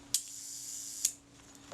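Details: Kodak Retina IIIc shutter at the one-second setting, after reassembly and moving the gear train inward to slow it: two crisp clicks about nine-tenths of a second apart with a steady fine buzz between; now runs about right.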